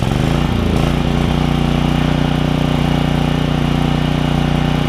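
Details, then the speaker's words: Generac generator with Briggs 9hp Vanguard after ultrasonic carb clean of heavy varnish, stale fuel tank flush and new fuel line; steady constant drone under load, no misses or surging; running well. "that thing runs pretty good don't it doesn't even flinch you can hear it working though that's good"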